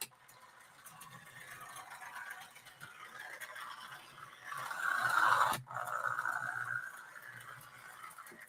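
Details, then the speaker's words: Old toy locomotive, motor atop the rear driving gears throughout: raspy whir rising and falling with speed, coarse gear grind; normal for this design. "You've got the motor on top of the back here. So you've got another meat grinder. And that's exactly what the thing sounds like, too."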